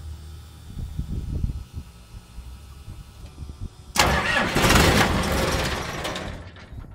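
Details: CAT/Perkins 3054C diesel on a wood chipper, unrun three years, cold start after filter and fluid change and a new battery cable replacing a corroded one: about three seconds of uneven cranking, then catches into a loud, steady run; starts normally.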